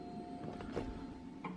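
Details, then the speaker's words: Turbo Trailblazer SS under Holley EFI just set up through its startup wizard, running on the internal MAP sensor and low on oil; a short, quiet electric whir with a faint steady hum at key-on as the Holley-controlled fuel pump primes; normal prime. "So that's working, and the Holly is controlling the fuel pump."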